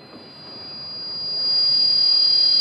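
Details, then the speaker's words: Bosch CCSD 1000 digital conference microphone with acoustic feedback suppression turned off; mic volume raised during a mic test produces a pure high whistle that swells over two seconds then holds, feedback howl. "So what what happen if you turn off the acoustic feedback? If you press the mic test test mic one two and if you increase the volume, you can hear the humming."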